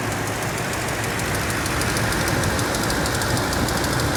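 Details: 2007 Toyota Tundra 5.7L at about 170,000 miles, warm engine: light rapid ticking, three or four per second, over steady rumble, loudest on the driver's side, first inconsistent then tracking rpm; cause not pinned down.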